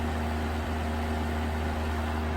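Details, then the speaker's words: 1980s Super dehumidifier, new replacement fan motor (original had badly worn bearings) tested alone, temporarily wired, cabinet off: steady, even hum with a low mains buzz and soft fan rush, no rattles or scraping; runs smoothly with lots of power. "wow that's a lot of power that's great perfect"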